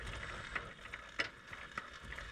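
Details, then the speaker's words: Vespa small frame being rebuilt, rear jacked up, rear wheel spun by hand. A light tick about every half second comes from inside the gearbox; the cruciform is believed to be touching first gear because it is not shimmed correctly. "It's a little clicking noise when I'm spinning the wheel. Okay. And I believe it's because the crucifiform itself is touching uh first gear."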